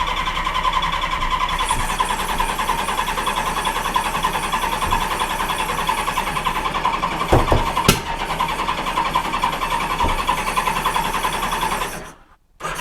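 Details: 1986 Honda Goldwing GL1200: steady starter churn with no catch, then a sharp loud pop about two-thirds in.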